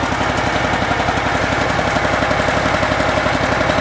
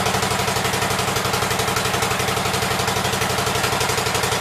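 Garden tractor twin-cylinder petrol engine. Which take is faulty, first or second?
first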